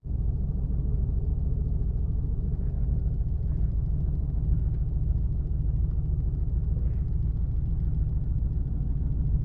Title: LS1 Misfire